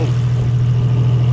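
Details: 2JZ engine idling with the valve cover viewed; oil now slings inside where before it did not, steady even low hum with no knocks or misses, idling healthy.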